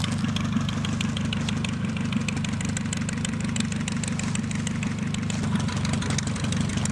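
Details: Pietenpol (Piet) aircraft in flight after engine rebuild, max 2525 rpm or better: steady even piston drone with smooth low beat, no knocks or misses; louder, deeper and growlier than before rebuild; healthy run.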